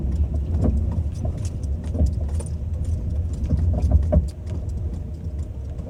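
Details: Suspected steering rack knock on a Ford Focus 2 while driving (test 1): dull irregular clunks over road rumble, a few per second on rough patches, pointing to steering rack play; cause suspected, not confirmed.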